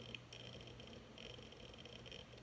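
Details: Hard drive making loud beeping and clicking noise after being dropped about 3 ft; quiet, even ticking with a thin high beep over the drive's hum, internal damage suspected, cause unknown.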